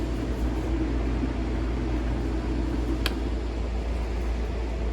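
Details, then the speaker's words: Craftsman utility sharpener (belt drive) that only hummed in forward and reverse, after belt replacement: steady low hum from motor and wheel running in reverse, grinding wheel spinning, no grinding, slapping or squeal; normal running after repair. "It's all back together now and I'll turn it on forwards. As you can see now, the grinding wheel spins. And reverse."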